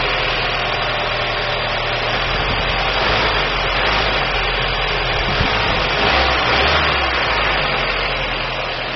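Idle runs uneven with an irregular stumble in the exhaust beat, roughly four pulses a second; sounds like a misfire.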